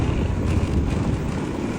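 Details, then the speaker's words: Honda ADV350 riding over rough pavement after fixing a front-end rattle by retightening a loose windscreen bracket bolt; steady low road-and-engine rumble with no ticking or buzzing from the front, noise completely gone. "没有了，完全没有了这个声音。"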